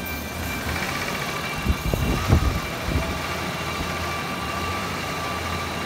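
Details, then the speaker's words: 1987 Ford Ranger, 2.9L six-cylinder, manual, 94,000 miles, running after a TFI module repair: a steady low idle with uneven thumps and stumbles; owner suspects bad gas or a needed tune-up. "might need a tune-up i think it's got some bad gas in it"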